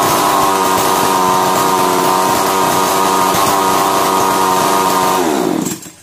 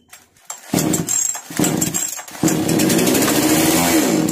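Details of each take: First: Chainsaw model 652 (as transcribed), previously a starting problem, starts on one pull after the new part is fitted; high, steady two-stroke buzz at even speed for about five seconds, then winds down and stops. Runs cleanly. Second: Chainsaw (model read as 652) with starting problem, low fuel in tank: after petrol poured into cylinder via plug hole it catches after a few pulls, revs raggedly a couple of seconds, sags and dies; faulty carburettor.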